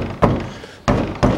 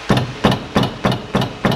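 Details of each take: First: 2005 Toyota Passo, 1.0 L automatic FWD, 96,000 km, second side after caliper repair: three dull thuds on wheel, no rattle; caliper moves but no longer knocks. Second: 2005 Toyota Passo, 1.0 L automatic, front-wheel drive, 96,000 km: raised front wheel struck, seven sharp knocks with loose metallic clatter from brake caliper rattling on worn guide pins; ringing disappears with light brake pedal pressure.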